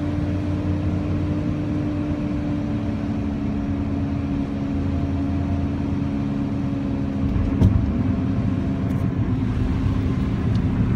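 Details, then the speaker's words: 1997 Honda Civic with a D16Y7 engine, while driving: a constant low droning hum under the road noise from the failing rear driver-side wheel bearing. The passenger side is thought to be failing too, but less severely. "that is the sound of the wheel bearing failing in the back on the driver's side i think the passenger side also too is also failing"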